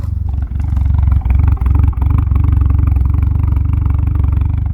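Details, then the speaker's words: DSM engine running after an added ground wire was touched to an engine bolt: deep, steady low throb with an even pulse and no misses, not smoking or shaking, revs normally; a faulty ground is suspected as the cause, now being repinned. "It's not blowing smoke. Not shaking terribly. Revs like normal. I think we found the issue."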